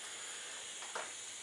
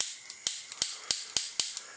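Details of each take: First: Bernzomatic butane soldering iron, new, running continuously: soft steady gas hiss with no whistle and one brief puff, ceramic tip glowing; normal running hiss. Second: Bernzomatic butane soldering iron, old worn igniter: sharp dry snaps three to four a second with fainter ticks, no flame catching; igniter clicking without lighting, cause not confirmed.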